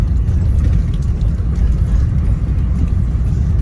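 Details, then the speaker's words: Peugeot 1.4 HDi diesel driving at its limited top speed, heavy uneven lumpy rumble with clicking, severe misfire; shredding alternator belt damaged crank sensor wiring and plug, smooth once belt removed. "this is as fast as it'll go and every time it was misfiring and about it was sort of clicking in this area here"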